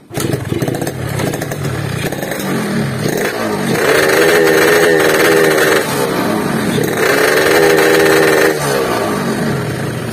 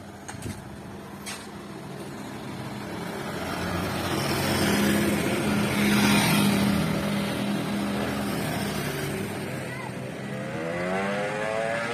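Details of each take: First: Yamaha RX King two-stroke, very clean bike, complaint of no speed and weak climbing, revved before repair: repeated blips sound flat and strained, never pulling cleanly, no power at all. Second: Yamaha RX King two-stroke after repair for lack of power, road test with street noise: revs climb strongly and smoothly under throttle, no stumble; pull good, though chain possibly loose and nearly came off at full throttle.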